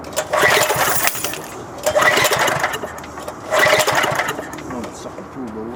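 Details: MTD 5 hp wood chipper engine bought at auction, timing just reset: three cranking bursts of about a second each that never catch. Little fuel was in the tilted tank and the carburetor wasn't drawing fuel; a bad diaphragm is suspected.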